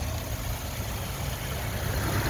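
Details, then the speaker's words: 2013 Chevy Impala, about 153,000 miles, idling with the hood open, oil dark but at a good level: smooth, quiet, even idle with a steady low hum, no ticks, knocks or whines; normal idle. "Take a listen. It is really quiet. No abnormal noises."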